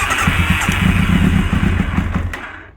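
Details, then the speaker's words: 1999 Kawasaki ZX9R carbureted four after long storage, primed with 2-cycle gas into all four carb holes, battery charger on: catches and coughs unevenly for about two seconds with ragged stumbling pulses, then dies. Rough sputtering start. "And it's either going to run or it's going to explode. So let's see what happens. Oh, I'm hearing it fart and cough."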